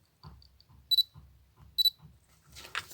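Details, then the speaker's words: Canon 18-55 mk II kit lens on EOS 400D, previously drowned in salt water and cleaned; autofocus fails: faint ticks then two short high-pitched buzzes as the focus motor strains without focusing; motor later found blocked. "makes some noise and buzzing, ticking, but without focusing."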